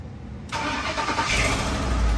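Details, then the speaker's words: 2007 Ford Explorer with AC compressor not engaging, at startup: engine catches after a second into a loud, raspy, puffing idle; bad exhaust leak, felt escaping, while the AC then comes on. "Major exhaust leak. And sure enough, the AC came right on. Man, that's a bad exhaust leak."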